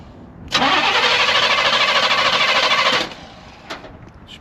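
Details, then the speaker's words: 1981 Oldsmobile Cutlass G-body, just revived after sitting nearly a decade: catches, runs rough about two and a half seconds, then dies abruptly; stalls after starting, owner suspects it used up the fuel in the line. "probably drank everything that was in the line."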